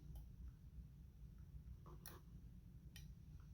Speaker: If you hear that clicking, that's the relay in the FoxFlash, and it changed to our VIN number that we changed it to, the 5GAK.